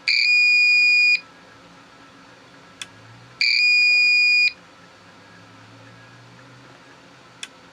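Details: APC Back-UPS 500 with its old battery disconnected, test pressed: two long, steady high-pitched beeps about a second each, a couple of seconds apart; self-test alarm with no battery.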